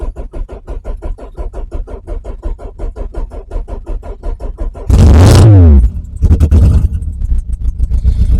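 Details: Renault Clio Mk1 1.8 16v, cheap battery, old fuel, no exhaust: about five seconds of slow even cranking, then fires, revs hard and settles to a rough idle. Long crank before starting.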